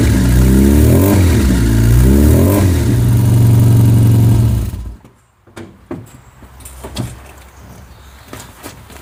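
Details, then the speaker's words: Car with SU HS4 carburettor after needle and spring upgrade and dashpot oil top-up, not started for a while, heard from the rear: catches and revs up and down cleanly with a steady deep beat, then shuts off; starts and runs healthy. "And just like that, she starts."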